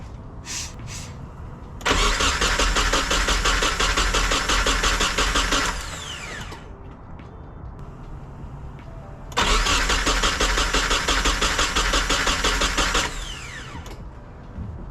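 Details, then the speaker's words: Nissan 240SX with a freshly swapped replacement KA24DE at its first start: two long, steady cranking runs of about four seconds each with no catch. Slow to fire, extended cranking; it later ran and seemed healthy. "What the fuck? It just started earlier."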